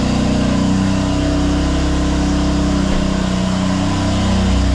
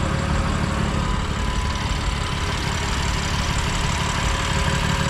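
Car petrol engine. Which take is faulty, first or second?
first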